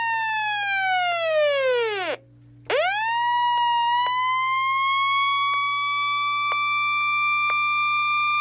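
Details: Realistic Weatheradio Alert III model 12-140, receives nothing: alert tone sags from high to a low growl, cuts out, then climbs back to a steady shrill pitch over hum; sounds awful, possibly faulty.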